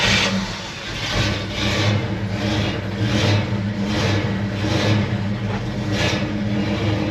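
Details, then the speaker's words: Ford F100 just fitted with a new mini torque starter and heat shield, choke pulled: it starts and revs cleanly through repeated blips, rising and falling smoothly with no miss or knock; healthy engine. "that thing sounds sick, bro. Dude, that thing sounded sick."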